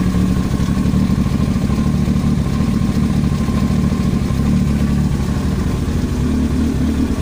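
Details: Yamaha YZF-R1 with a heavy, lumpy idle and a persistent clatter tapping in time with engine speed, an abnormal noise from the engine head (top-end knock).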